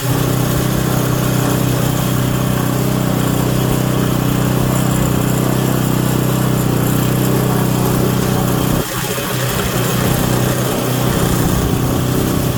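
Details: Auction Craftsman Series 2 snowblower engine with points ignition, continuity checked: steady, even putter that holds its speed without stumbling; normal running idle.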